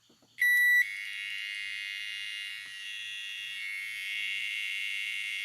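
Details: Repaired microwave control board after display replacement, emitting a shrill, constant high beep that never stops; buzzer stuck on because its drive transistor is faulty and holds it on.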